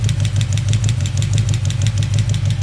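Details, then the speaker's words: Chevy 350 small-block idling with valve cover off, one rocker nut deliberately backed off a half turn; light, quick ticking in time with idle over a steady rumble from excess valve lash. "So there's that half turn. Now it should start tapping."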